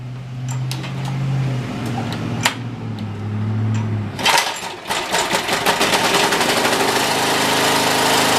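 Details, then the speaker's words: OHV Briggs & Stratton engine on a water pump, run briefly dry at full throttle: even at first, then a coarse rattling rumble builds; suspected loose bolt, found broken engine mounting bracket; engine vibration from broken bracket. "You see that rumble? Makes me wonder if one of the bolts is loose."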